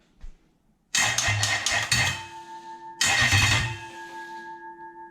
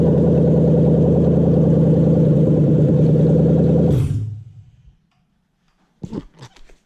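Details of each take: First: Toyota 1UZ-FE VVTi V8 test engine on a test loom with a 2UZ ECU: starter cranks in two short bursts with no firing and no check-engine light; crank-no-start, traced to a dropped power feed terminal. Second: Toyota 1UZ-FE VVTi V8 on test stand run by a 2UZ ECU; even steady idle with smooth unbroken beat for four seconds then clean shutdown; runs healthy, ECU working.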